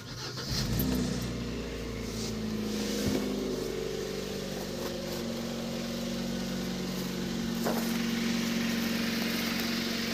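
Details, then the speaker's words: Kia Spectra after a belt conditioner spray was applied to a squealing drive belt: cold engine fires after a brief crank and idles smoothly with no belt squeal or chirp; normal cold start. "Ремень не скрипит."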